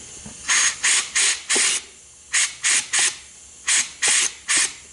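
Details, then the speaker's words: 6T40E transmission from a 2011 Chevy Cruze with a 3rd-to-4th slip, air test of the clutch around the drum with the piston held down: sharp hissing bursts in groups of three or four, normal air escaping through the piston's pressure-release hole, not a fault. "For those who don't know, there is a little hole in that piston. The purpose for that hole is to release the pressure. So if you see it blowing out, it doesn't mean it's bad."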